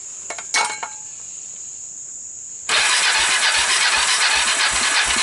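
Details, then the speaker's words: Fire-damaged Kawasaki Bayou 300 single with 60 psi compression (about 90 needed), portable CDI, retimed valves and PZ27 carburetor; fast even cranking about four strokes a second on the carburetor without starting fluid, never fires. "so i was hoping with all the turning over and pumping oil through it and all maybe it uh it would recover a little bit remember was coming in about 60 60 is a little low you really need 90 or so for an engine to start"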